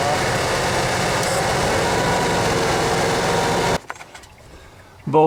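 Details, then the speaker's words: 1987 Ford F-150 inline-six, after a very cold-start morning and a good warm-up, idles roughly with a loose, uneven beat before cutting off; power steering also noisy; pulling computer codes, first is a cylinder code; rough idle, cause not yet pinned down. "anyway as you can probably hear it's running a little rough that's why i'm doing this"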